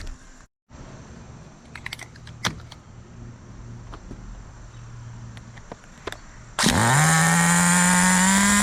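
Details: Duratrax Street Force 2-speed nitro RC car with cleaned fuel tanks and reworked exhaust, throttle servo locked and horn removed, roto-started: after a quiet spell the engine catches with a high buzz that climbs and holds a steady, even run, healthy.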